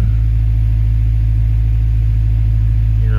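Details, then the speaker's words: Honda D16Y7 engine after swapping to a D16Y8 intake manifold, ICV removed, TPS connector broken but still plugged in: steady fast idle with even hum, no settling; still idling high as before, wanting 2500 rpm and surging; owner suspects manifold air injection holes. "Let's see, it's still idling high, but I mean, that's where it was before."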